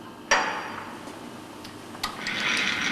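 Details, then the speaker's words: Lathe chuck safety guard closed after removing the chuck key; two sharp metallic clicks about two seconds apart in a quiet room as the limit switch engages the motor contacts, normal limit switch engagement. "Remove the chucking, close, and you can hear the limit switch engaging the motor contacts."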